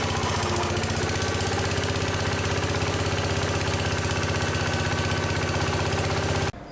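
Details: Case 222 lawn garden tractor, sat for years, started with starting fluid at half throttle: steady even firing about four beats a second, holding speed until shut off; engine running normally.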